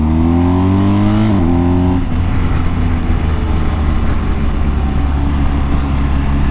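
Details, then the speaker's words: 2022 BMW R1250GS on 50/50 TrailMax Mission tires, riding on the road and through turns: steady low tire drone under the engine note; ordinary hum for 50/50 knobbies, nothing major, tires being replaced with Michelin Road 6. "it makes a a humming sign off of the road which again is pretty normal for a 50 50 Tire nothing major"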